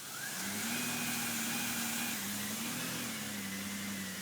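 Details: 2002 Chevy Impala, about 209,718 miles: loud steady whine rising and wavering in Drive, car won't move; transmission suspected.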